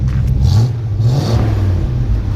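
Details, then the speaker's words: 1968 International Harvester Travelall 1100 half-ton, warm after being driven: deep rumble swells with a couple of throttle blips and settles back cleanly, no miss or knock, no smoke; sounds healthy. "Go ahead and rev it up a little bit, Nolan. You know, sounds really good. Rev it up one more time."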